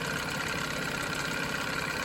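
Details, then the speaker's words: 1987 Johnson 9.9 outboard after water pump impeller replacement, started on one pull with no choke after sitting 24 hours: fast, even two-stroke burble holding smooth idle without stumbling or misses; idles cleanly, previously choppy. "No choke, one pull after sitting 24 hours to pop off an idle like that. I cannot complain. That is better than brand new."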